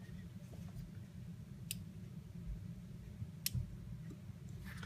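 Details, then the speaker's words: Universal Timer programmed to drive a relay (timer output to relay, grounds tied), cycling with a five-second wait: faint, crisp single clicks a second or two apart in a quiet room, switching cleanly; normal relay switching. "so we already programmed it to do this you'll hear the click click and then it will wait for five seconds and and continue to cycle like"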